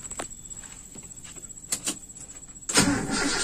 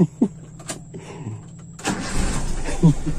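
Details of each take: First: Toyota Kijang (3K/4K/5K/7K-type engine) after installing a points distributor: two short starter bursts, engine turns over but never fires; crank no-start, ignition timing suspected still slightly too retarded, spark and TDC compression on cylinder 1/4 being checked. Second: Toyota Kijang after installing a points distributor and setting timing about 5 degrees: a few cranking turns, then the engine catches and settles into a steady idle; normal start.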